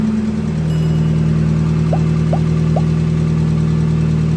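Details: 1989-2005 Mazda Miata NA/NB, first start after oil pan replacement: engine catches and settles into a steady, even idle with a smooth low hum and no knocks or misses; normal idle.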